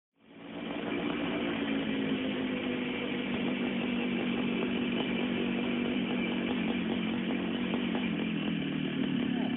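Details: Burrell racing kart with Miami 125cc air-cooled two-stroke, sat for years, now cleaned, carburetor rebuilt, new fuel tank; steady buzzy note at even pitch, no knocks or misses; runs cleanly.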